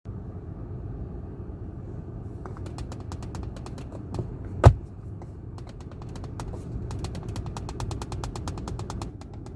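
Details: 2019 Kia ProCeed GT cabin: fine irregular ticking, rattling and sharper knocks over low road rumble from the centre armrest when the arm rests on it; fixed by fitting felt at contact points.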